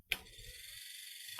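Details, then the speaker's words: Mini Cooper R50 passenger power window motor, bench-tested on a 12 V battery after repair of stuck carbon brushes: a steady high-pitched whir for about a second in each direction, starting and stopping cleanly with no grinding. "Okay. It moves one way. And it moves another way. Nice. Nice. So, uh, the motor works as expected."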